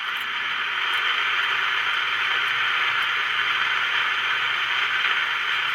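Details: Magnavox AM-80 transistor radio under signal-injector troubleshooting near the converter transistor, suspected off frequency: steady even hiss with no station or tone; cause not pinned down, a part possibly installed backwards is suspected.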